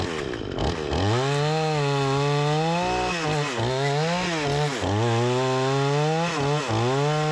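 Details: Repaired Remington 46cc two-stroke chainsaw with sharp chain cutting wood: strong buzz sags in pitch as the chain bites and snaps back quickly; strong and responsive, healthy engine under cutting load.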